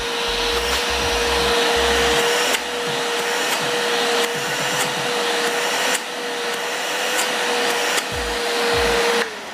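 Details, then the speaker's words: Multipro 3-in-1 budget wet/dry/blow vacuum cleaner, 650 W, 10 L tank, suction test with hose: steady even motor whine, brief bumps from hose handling; suction judged decent for dust in car, floor or sofa, healthy. "Tes hisap, kalau menurut aku daya hisapnya sih lumayan lah ya, untuk vacuum cleaner seharga begini ya, cukup lah untuk membersihkan debu-debu di mobil ya, atau di lantai, atau di sofa ya, apapun, ini lumayan lah daya hisapnya."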